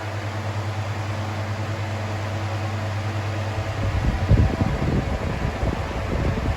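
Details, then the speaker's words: 2000s Bionaire 2cool 16-inch pedestal fan on low (about 61.5 W) while oscillating: steady low motor hum and even blade whoosh, turning gustier as the head swings. It runs normally and moves a lot of air but is loud, with very poor oscillation. "There's the oscillation. You can see the very poor oscillation."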